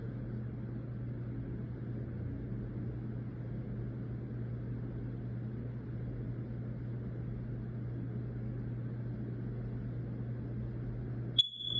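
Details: A single short, high-pitched chirp from a hard-wired, corded smoke detector breaks a steady low room hum: the low-battery warning, fixed by disconnecting the cord and replacing the battery.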